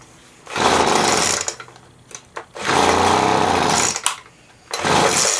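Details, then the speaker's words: Poulan Pro leaf blower, just after a new primer bulb and carb cleaning and first start: it surges in raspy bursts, then sags and nearly dies between them; it sounds starved, a lean low-speed mixture, so the low-speed screw is opened. "I'm going to open up that low speed it sounds like it's starving I'm going to just open up a little bit"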